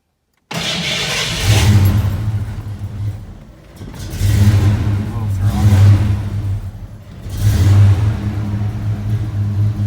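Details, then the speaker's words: 1987 Ford Mustang SSP, sat a year and a half, battery 12.2 V, after earlier stall and voltage drop: engine surges up and down with throttle blips, sagging between, only running on throttle; won't idle with throttle released. "i let off the throttle all the way to see if it would idle by itself"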